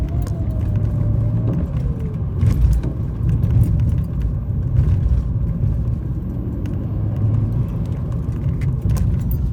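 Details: 2011 BMW 335ix N55 with 55k miles and a COBB 3" charge pipe, accelerating through second and third gear around 2k rpm: faint howling whistle over road and engine rumble, later confirmed as a blown turbo.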